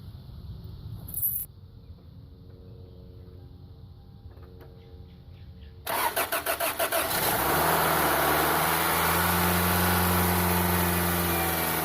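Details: Toyota 1ZZ engine, first start-up after owner's first full rebuild, with new torque converter seal, radiator, water pump, oil, transmission fluid and coolant: short crank, catches quickly, settles into a smooth even idle with no knocks or ticks; sounds healthy.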